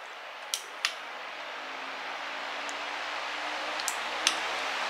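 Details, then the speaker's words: iLiving fan on high speed: steady even rushing air with no knocking, rubbing or wobble, just a couple of light clicks; fan runs level and stable. "there's high speed now that one's pretty level that was pretty stable"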